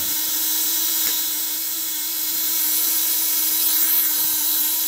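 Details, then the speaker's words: Contact-breaker (platina) fish shocker, 1 kg spool set about 2 mm from the contacts: a steady, even high buzz with no stutter or crackle; close spool gives stable vibration. "kalau spool deket, getaran stabil, dia kuat setting kenceng."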